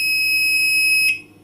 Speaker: this is the sound if they have trouble so this is a lost device this is trouble so too much sounds